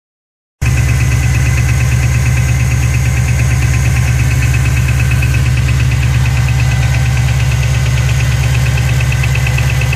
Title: GT500 Ticking noise during cold start